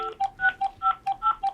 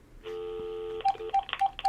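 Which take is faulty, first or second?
second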